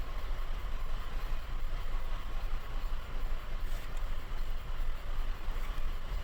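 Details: Petrol engine at idle with a low, uneven rumble and an irregular stumble; check engine light flashing. Live data shows misfires on most cylinders, highest on cylinder 4. Loss of compression fully disabled that cylinder, causing the misfire and reduced power.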